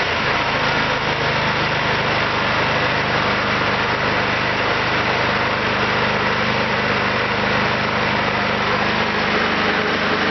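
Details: Kentavr 7807 petrol snowthrower, single-cylinder engine, after carburetor cleaning for a no-start, throttle at the maximum (hare) setting: steady, even high-speed buzz with no misses or knocks. Running properly.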